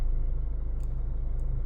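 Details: 2014 Hyundai ix35 2.0 diesel 184hp automatic, 166,000 km, warm after half an hour driving: rapid even pulsing idle with knock-like low beat, heard stationary or pulling away up to about 1500 rpm, only from inside the car; sometimes stops; cause unknown.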